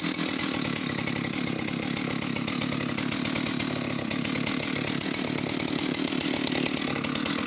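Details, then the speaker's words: Oleo Mac 272 classic Italian chainsaw, final run before sale: high, steady buzzing rev holding evenly; runs well with only an odd occasional misfire, possibly from lack of use; normal running. "She runs flawlessly as far as I can tell. Just the odd kind of misfire now and then, but that's just perhaps it's just literally lack of use."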